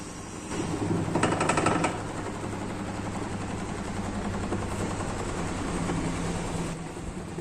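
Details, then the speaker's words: LG top-load washing machine during spin: loud rough rumble with fast rattling clatter, running like a generator; noise this loud means the worn gearbox must be replaced. "Generator ஓடுற மாதிரி ஓடுது. இந்த அளவுக்கு நாய்ஸ் வந்தால் நம்ம gear box தான் சேஞ்ச் பண்ணி ஆகணும்."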